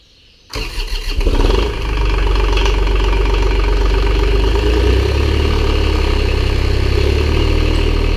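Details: Farm skid loader diesel just after repair and antifreeze refill, first start-up watched for leaks: short crank, then it fires and holds a steady, even idle with a deep low drone, no misses or knocks.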